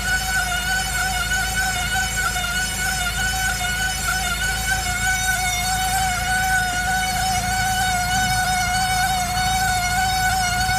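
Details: 2002 Saab 9-5 Aero: steady high-pitched squeal from the right front wheel area, heard over the car's running noise.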